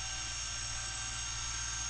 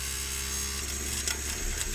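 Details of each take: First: Brüel & Kjær WA 0155 balancing demo unit with new belt, motor speed feedback-regulated and read by an MM0012 photoelectric tachometer probe: even high-pitched whir holding one speed, no surging, wobble or rubbing; normal steady motor speed. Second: Brüel & Kjær WA 0155 balancing demo unit overspeeding: thin high whine and rapid uneven ticking as motor runs far too fast; no overspeed protection, speed regulation runs away when the feedback signal is missing; bent shaft, unbalanced.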